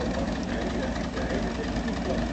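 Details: MG engine idling with an uneven, stumbling beat and irregular low thumps instead of a steady hum, consistent with a misfire.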